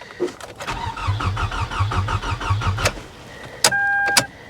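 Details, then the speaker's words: Salvage-auction C4 Corvette suspected to have been sabotaged, on a jump pack: brisk, even starter chugging about six beats a second for two seconds, never catches; cranks well but won't start, owner thinks the cause isn't major. "yeah i mean she sounds like she cranks pretty good though so whatever is wrong with it as far as why it won't start i don't think it's anything major"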